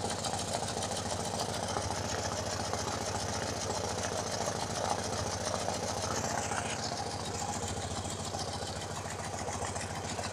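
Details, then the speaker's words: BMW R90/6 Airhead flat-twin after a top-end reseal with one valve and guide replaced, idling and checked by mechanic's stethoscope: a light tick of three or four a second on one side only, absent on the other, over an uneven idle. Owner plans to adjust the valves. "so I can hear a tick tick tick here on this side which is not present on the other side but at the moment it really doesn't sound all that terrible"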